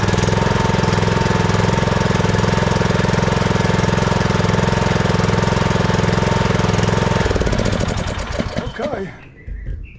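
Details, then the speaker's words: Troy-Bilt Pony riding mower (model 13AB77BS023) during annual service, just refilled with oil: loud, even single-cylinder thumping at a steady idle with no knocks or misses, then shut off; normal idle. "All right, crank it up. Let it idle for just a second."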